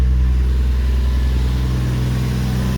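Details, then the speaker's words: Toyota Mark 2 1JZ turbo six after a compression test with lower than hoped numbers: smooth even low exhaust drone for a few seconds, no misses or knocks; boost thought to peak about 1.14 bar, healthy engine. "nice smooth healthy exhaust note makes plenty of boost"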